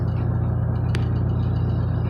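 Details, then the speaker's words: Honda Civic with H22 swap, after cleaning the idle air control valve, fitting a throttle body and street tuning: steady, even low idle rumble with no stumbles or dips, normal idle. "Idle is great, and just regular. I just wanted to be able to go back to driving normal again."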